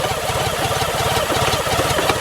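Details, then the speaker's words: 1987 BMW K75, 740cc petrol fuel-injected water-cooled triple, unrun for two months, hot day with no choke, just after a clutch cable replacement. The back wheel isn't turning and the clutch adjustment is suspected. Uneven, heavy, strained pulsing idle: engine labouring at idle. "yeah it's really struggling to I need to readjust that"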